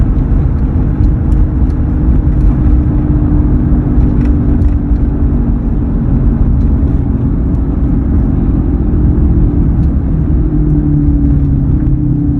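Steady low drone under constant road and engine noise while cruising, pitch shifting slightly with speed; the hum's source isn't clear.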